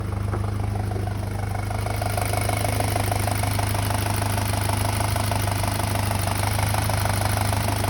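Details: 2007 VW MK5 GTI 2.0T FSI (BPY) idling, close-up at the engine: fast, light metallic rattle over a smooth idle. Owner suspects the small cam-to-cam timing chain and plans to replace the chain and tensioner.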